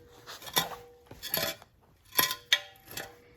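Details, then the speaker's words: 2012 Jeep Wrangler 3.6 Pentastar, removed passenger catalytic converter moved by hand: loose metallic clinking and rattling; broken substrate inside caused the rattling and ticking, while low compression remained the main fault. "That noise is not supposed to be in there. There's something broke loose in the inside of that. So that was definitely the rattling and ticking,"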